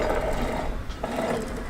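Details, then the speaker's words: Sailboat mainsheet traveler car pushed along its track: smooth one way, rough rattling metal-on-metal scrape the other from worn bearings; the old traveler is replaced with a new ball-bearing car. "so we think we know what the problem is when you you pull it this way you can hear the bearings to go smoothly but when you go this way it's just metal on metal"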